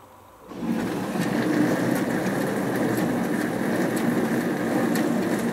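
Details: Hotpoint Aquarius+ FDW70 dishwasher on a test wash after a faulty part was replaced, checking the heater works. Starts into a steady rushing spray with even pump hum, no grinding or rattling; washing normally, water hot.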